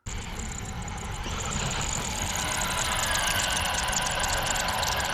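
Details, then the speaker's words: Tamiya Bigwig RC car running in sand: a thin, steady high squeal over the motor whir and sand crunch as the diff turns; dog bones suspected of binding with no sideways play, owner suspects manual step 16 caused it. "Because these dog bones, I noticed when I got home, have no sideways play in them. And when they turn, that's when they do them squeak."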